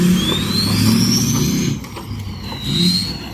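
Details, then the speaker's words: 6.0 Powerstroke truck with a bigger turbo fitted, recorded on a drive-by in strong wind: a rising and falling high whistle rides over the diesel's low drone as it passes; healthy turbo spooling, normal turbo whistle. "Well, I was going to do some drive-bys today, so you can all hear the whistle, and it's more windy out here than Hurricane Katrina."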